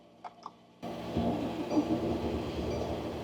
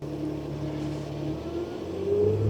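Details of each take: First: Diesel Mercedes Sprinter van at -7°F after a dead battery, glow plugs cycled, jump starter used: steady labored cranking for several seconds without catching; cold diesel cranks but won't start yet, getting closer. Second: Mercedes Sprinter diesel van at -7°F, on a portable jump starter after many glow plug cycles and failed cranks: the diesel catches and runs with a steady rumble, pitch climbing as RPM rises; successful cold start.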